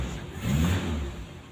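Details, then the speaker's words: Suzuki Carry 1.0 after adding a diode-protected wire from the starter's direct battery feed to the coil positive, so cranking no longer starves the coil: short crank, engine catches at once with a quick rev that settles; prompt, healthy start, long cranking fixed. "Oke teman-teman ini coba kita hidupkan apalagi starter tidak pernah panjang lagi Lur ya jadi nggak khawatir kalau apinya ngedrop ya"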